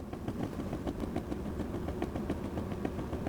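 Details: Brand-new Chinese diesel heater on cold start, after an attempted repair: rapid irregular fuel pump ticking over a soft combustion rumble; it smokes on startup and runs fine once going, cause unknown.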